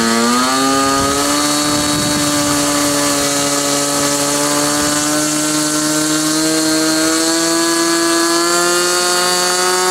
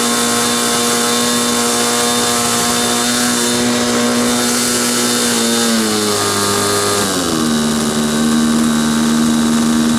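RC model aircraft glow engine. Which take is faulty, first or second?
second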